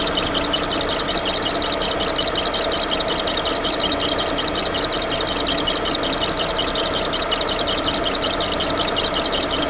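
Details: Chevrolet Monza at idle: a constant high chirping whir over the engine with a faint irregular tick, seeming to come from the engine belt; cause suspected, not confirmed.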